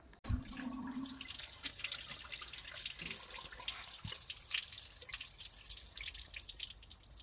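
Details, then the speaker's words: Nissan March Super Turbo on MOT day, engine off, after topping up low coolant: steady splashing and trickling as coolant pours dramatically from the timing case; owner's first diagnosis, unconfirmed, is a failed water pump inside the timing cover. "as you'll see um in the previous little cut there that we have a dramatic coolant leak coming from a timing case"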